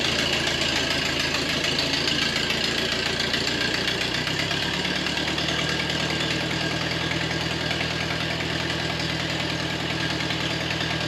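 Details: 1953 Ferguson TO20 tractor after Marvel Schebler carburetor rebuild, run from an auxiliary test tank; ticks over at an even slow idle without misses or stumbles, smooth; oil pressure about 10-12 psi, correctness unknown.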